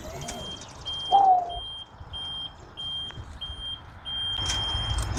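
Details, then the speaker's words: Snorkel TL37J towable boom lift, as the operator is lifted: steady half-second beeps repeating about twice a second over a quiet hydraulic hum; the normal motion alarm, which sounds only during operation. "hitting your emergency kill switch up here, and that way it only beeps when it's in operation and you're being lifted into the air."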